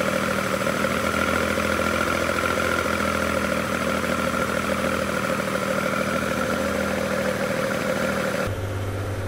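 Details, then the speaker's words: Race-spec Nissan L28 with Datsunworks 24-valve KN20 head, exhaust audible, warming up to temperature before revving: steady even burbling idle with fast regular exhaust pulse, no knocks or misses; normal warm-up idle. "so we're warming the engine up now we've got to get the engine temperature up once that's up we can give it some revs but it sounds nice it's burbling away it's got a very nice exhaust on it to help give it a good sound"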